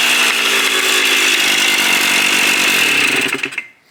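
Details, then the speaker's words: 1984 Kawasaki KDX80 two-stroke during restoration: shrill, buzzy revs rise raggedly and never pick up cleanly, then die away; won't rev, owner suspects clogged muffler; carburetor leaking fuel at gasket. "Yeah, it sounds like the muffler's clogged. The carburetor's leaking out of the gasket."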